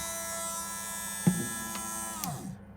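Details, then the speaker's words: Boat 12 V electric pump, rated 2.5 A, bench-wired directly after the fuse to the negative bus bar to test it: steady even motor hum winding down smoothly when switched off; pump turns freely and works. "so if i flick the switch over here there we go you can hear it going round now"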